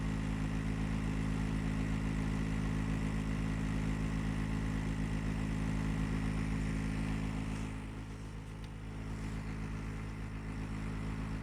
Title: GREE CLIMA loud noise problem